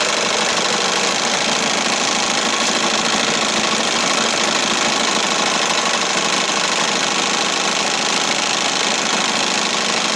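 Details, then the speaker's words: 1968 Evinrude Fisherman 6 hp two-stroke outboard after throttle linkage repair and mixture adjusted to the sweet spot, running with the hood on. Steady, even buzz with no knocks, misses or surges, only a little vibration; running normally. "See what it sounds like with the hood on. Sounds great. Little vibration."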